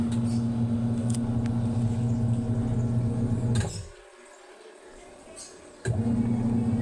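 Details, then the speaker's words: Single-tub washing machine that kept stopping, especially when loaded with water, after replacing the weak capacitor and the belt: steady low motor hum, spins up strongly, stops and restarts cleanly without bogging; washer motor running healthy. "Yan ano naado na yung ikot niya eh. Maganda na yung ikot niyan. Hindi na po yan mamamatay kasi tamang-tama na po yung ano capacitor."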